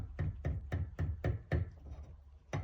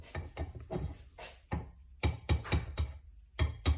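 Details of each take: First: Subaru Levorg VM4 at about 104–105k km, treated for caliper knock: with a machined repair guide pin fitted at near-zero clearance, only light, soft taps about four a second remain, versus loud rattling with the factory pin. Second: Subaru Levorg VM4 brake caliper bracket, about 104–105 thousand km, shaken by hand: loose, sharp metallic clacks in quick bursts. The worn factory guide pin knocks in its bracket; a machined repair pin cuts it to minimal.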